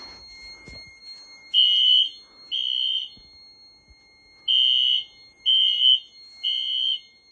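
Shrill horn blasts in groups of three, about half a second each with short gaps, then a pause: the temporal-three evacuation signal from the alarm.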